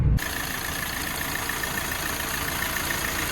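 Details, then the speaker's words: Hyundai Creta diesel at idle: steady, even idle with a smooth low rumble and no knock or misfire; the engine sounds healthy. "Engine आवाज एकदम सही है। चिकना कर दिया गया।"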